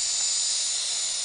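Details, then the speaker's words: Air compressor being tested, pressure slowly going up: steady sharp hiss of air leaking from the broken regulator and tap housing, to be replaced with one from an old compressor. "see if this compressor works. Slowly going up. A bit of a leak."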